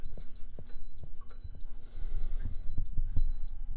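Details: Viqua IHS-12 D4 UV water purifier beeping steadily about every half second over a low hum after plumbing install; the manual seemed to indicate a low-voltage warning.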